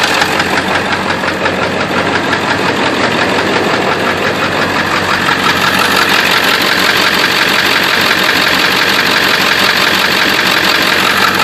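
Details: Engine at idle with a sharp, steady tapping about three per second from the top end. Owner suspects a bad injector, not confirmed.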